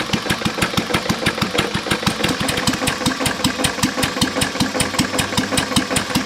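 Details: English Lister throttle-fed stationary engine, circa 1920–1930, water in oil from cracked block ruined rod bearing; idling low: sharp even knock four or five a second over the thump; rod knock.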